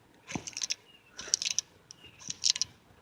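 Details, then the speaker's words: 1978 Ford F-150 Ford 9-inch rear axle bearing, removed and turned slowly by hand: a gritty clicking rattle about once a second. The bearing is missing balls, and the seal is missing, which caused leaking. "know if y'all can see that, but right up in here, them balls, this thing is actually missing some of the balls out of this bearing."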